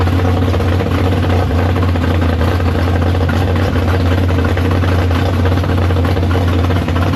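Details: Big block Chevy V8 in the Farm Fresh gasser, first start after sitting, 750 carb, downjetted; loud, deep, even rumble holding a steady idle, no misses, knocks or surging, up to temperature. Healthy normal idle.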